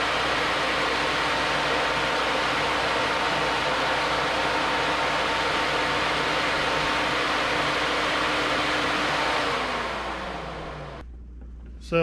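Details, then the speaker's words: New Flex-a-lite Flex-Wave 16-inch electric puller radiator fan on a stock 4.3L V6, manually switched on from inside; louder than the old fan. A strong, steady air rush with an even hum, no rattle or scrape, spinning down smoothly at shutoff. Normal operation. "so i'll show you uh you know that it works i can manually override the radiator fan with a switch inside definitely moving a lot of air"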